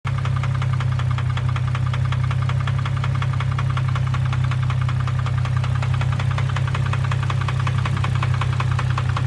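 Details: 2003 Infiniti G35 sedan, idling petrol engine: a loud, rapid knocking, about four knocks a second. The cause is unknown and the owner is considering a motor swap.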